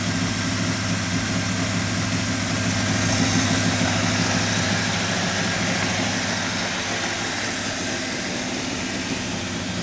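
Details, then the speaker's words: Flood-damaged 1985 Monte Carlo SS 350 Chevy V8, not run in over a month, cold and warming up to operating temperature: steady, even low V8 idle burble with no knocks, misses or hunting; some smoke, suspected leaking valve cover gasket. "this car hasn't been on in over a month and it just went through a flood so I'm going to let it get all the way up to operating temperature before I go yipping on it putting a load on it trying to drive it all that good stuff"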